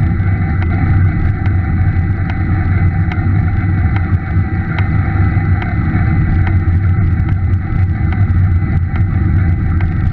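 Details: Scott E-Aspect 910 e-bike with a Bosch mid-drive motor: sharp light pops or taps at a fairly steady beat over the motor's drive hum and wind while riding; abnormal popping/tapping noise.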